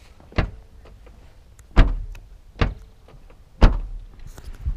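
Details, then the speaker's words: Car trunk lid closing after fixing licence plate and frame rattle by tightening the plate: four solid single thumps dying away cleanly, no buzz or rattle afterward; plate secure, trunk closes without rattle. "результат ничего не шатается всё"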